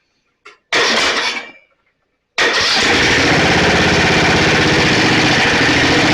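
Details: Snapper 28" riding mower, 12.5 hp Briggs & Stratton, electric start, hard-starting: restart after coil grounded with screwdriver; short crank, pause, then catches into steady even buzz. Shutoff short suspected in wiring, not key switch; seat switch disconnected, possibly defective.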